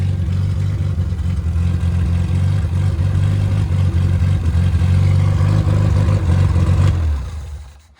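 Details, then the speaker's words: Triumph 1500 engine rebuilt after seizing from swapped rod caps, new bearings, low compression head probably about 7.5:1, stock cam, oil pressure 75 psi at start: steady even firing beat, no knocking, clean shutdown; carburetion not optimal; normal running. "I have it set for a high performance motor with a little bit more compression, a little bit more giddy up, and so I don't. It isn't running as well as it could."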